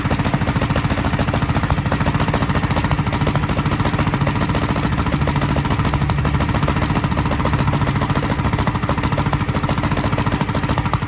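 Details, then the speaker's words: 1943 Gravely Model L single-cylinder on rebuilt magneto and borrowed 1955 L carburetor with its settings; uneven chug about three beats/s, popping from carburetor and exhaust; valve lapping and valve lash check planned. Rough running with popping. "you could probably tell it was popping out of the carburetor and popping a little out of the exhaust"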